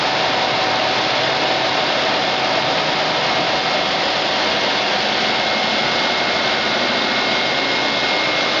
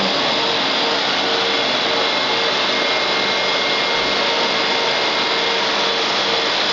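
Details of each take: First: Electric AC compressor for a Nissan Sentra conversion, bench-tested at 12.9 V with about 6 V to the speed control: a steady high whine and hiss as it comes up to speed slowly. It sometimes fails to start, and the owner suspects low voltage. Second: Electric AC compressor in a Nissan Sentra converted to electric, 120 V battery system, speed control at about 6 V: steady even high whir with no knocks or rattles; owner notes slow start, unsure if a problem, runs smoothly.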